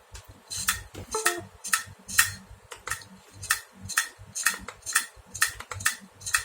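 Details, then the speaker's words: Acer Aspire One D255 laptop hard drive, not detected and won't boot; loud sharp clicks about twice a second. Failed hard drive clicking, to be replaced. "Kencang banget bunyinya. Ini udah fix harddisknya rusak, soalnya nggak kedetek di ini."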